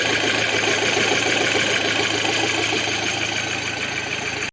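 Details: 2006 Audi A6 2.0 FSI turbo: warm idle with a fast, uneven rattling tick, about three per second, over the engine hum as the low oil pressure light relights; oil starvation suspected from a blocked pickup.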